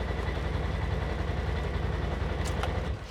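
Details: Polaris Ranger side-by-side that was getting hard to start, after replacing the brake pressure switch and bleeding air; engine catches and settles into an even low chug of about three to four beats a second, healthy steady idle.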